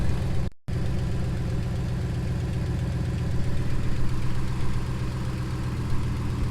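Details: 2015 5.7L HEMI V8 truck idling after water pump replacement, new 180-degree thermostat and coolant refill, started to check for leaks: deep, even rumble with a steady beat and no knocks, ticks or squeals; normal smooth idle.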